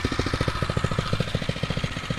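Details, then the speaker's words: Phatmoto Rover 79cc four-stroke motorized bicycle, hot after an off-road ride at about 20-25 mph. Steady, even putt-putt idle of about eight beats a second, no misses or knocks; idle judged fine, no adjustment needed. "fat motor do i need to adjust that idle that sounds fine to me considering it's nice and hot now yeah that's good"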